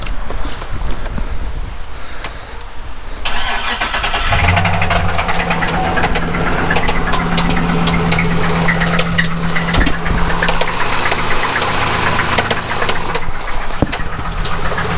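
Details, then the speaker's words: 2008 Saab 9-7X Aero V8, about 200,000 miles: cranks, catches and idles with a heavy, steady knock, recorded in wind. Owner says it is definitely a rod knock from at least one spun bearing; the engine will be rebuilt. "yeah so the major thing is engine has a horrid rod knock i mean it's definitely got a spun bearing"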